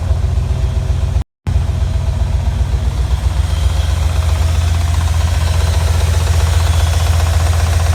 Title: MIROTEKNIK RX7 - Engine Knock